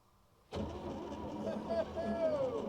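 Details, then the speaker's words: 1961 Chevrolet Biscayne, 235 inline-six with 3-speed column manual, sat in a junkyard 30+ years, engine not stuck, first key turn: starter engages cleanly and turns engine over with steady even whirr, no grinding or clicking; starter works. "look at that starter works look at that all right that's neat"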